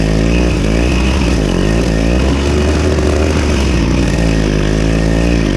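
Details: Victa Super 24 / Super 600 70-series two-stroke side-discharge mower, carb cleaned, mowing thick grass: raspy buzz dips briefly under load then recovers cleanly without stalling while throwing debris out the side; runs strong and healthy.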